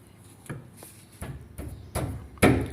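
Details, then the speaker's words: Chevrolet Corsa, front stabilizer (sway bar) link struck by hand: about five hollow knocks half a second apart, each louder, with a loose rattle showing play; this worn link caused the front noise while driving. "Ela pega na barra estabilizadora aqui, ó. Aí quando ela estraga, ela fica fazendo um barulho, rangindo."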